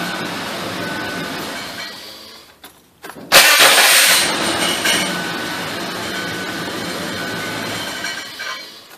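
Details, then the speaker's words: 2004 Ford Taurus 3.0 L DOHC Duratec: harsh high-pitched grinding whir as the key turns, then a rough rasp; abnormal starter cranking noise, starter fitted two years ago never sounded right, owner fears broken flywheel, replacing starter. "I could have swore I just worked out one of these starter it sounds like the flywheels broke I'm hoping it's not I put a starter in this about two years ago and never sounded right"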